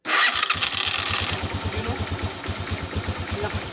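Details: Motoposh 155/125 motorcycle after replacing the starter motor, mic placed by the starter: quick strong whirr, engine catches at once and runs with even regular pulses; new starter and battery strong.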